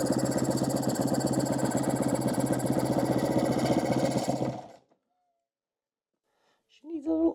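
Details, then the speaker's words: 2013 Kawasaki KX250F fuel injected, head and valves replaced after dropped valve, previously no-start: quick uneven very low idle, sounding wheezing for fuel and air, then dies; idle set too low, valve shims suspected. "It sounds like it's just wheezing for fuel, too. Wheezing for air. Got to turn this idle up."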